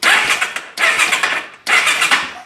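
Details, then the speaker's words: Yamaha Breeze, newly reassembled after a broken rocker arm fix with compression at 120, still hard to start; the starter has ground ever since it was bought. Three cranking bursts with a harsh metallic grind and no firing. A commenter suggested a spring in the starter. "there goes that that grinding noise of the starter something about a spring or something in there he said to fix"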